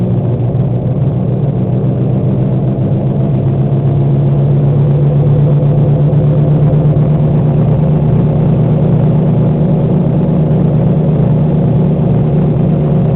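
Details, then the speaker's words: 1998 Oldsmobile Cutlass driven at about 38–40 mph: loud steady low rumble with droning tone from badly worn front wheel bearings/hub assemblies, before replacement. "Yeah, these are by far the worst bearings I've ever heard in my entire life. like I'm pretty sure that the front wheels are about to fall off."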